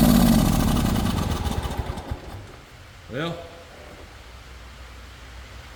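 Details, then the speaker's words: John Deere GX255 mower run without its very dirty air filter: roars loudly for two seconds, falters and dies, then a brief weak rise in pitch; rough running and stalling. Owner suspects moisture in the carburetor; unconfirmed. "that didn't help it none let's try it again"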